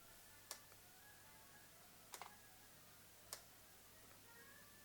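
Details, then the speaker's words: Nikon AF-S 70-300mm f/4.5-5.6G ED lens after camera power-cycled at 70mm: sharp light clicks and faint chimes every couple of seconds; VR stabilizer working normally again, fault returns past 100mm. "I'm going to put it up here so that little cling, click, cling, click, that's the VR working again. So the VR back to working again."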